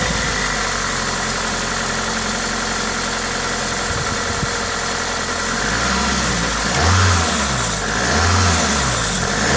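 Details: Toyota 2ZZ-GE petrol engine with aftermarket induction kit: revs rise and fall smoothly under loud intake hiss from the induction kit, no knocks or rattles; healthy, normal engine noise.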